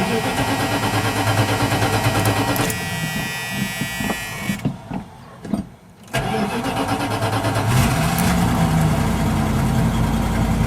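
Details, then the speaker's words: 1979 Dodge 100 truck, cold start after sitting about a week, after fixing the choke that used to pull fully off and cause stalling: cranks briefly, catches, dips, then settles into a steady even idle without stalling; normal cold start. "There we go, no stalling or anything."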